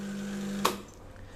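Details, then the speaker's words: Milesto Eliane espresso machine with vibratory pump, just switched on and drawing water before heating: clean, steady low hum with no sputter or rattle, then a click as it cuts off; pump working normally. "nah seperti yang kita juga sudah sering-sering ketika dia baru nyala gini kita harus tarik dulu hanya untuk memastikan akhirnya narik-narik ya suaranya dari mulai berisik lama-lama dia akan saya lo sendiri Lebih Hai bersih ya suaranya enggak terlalu berisik kurang lebih 15 detik"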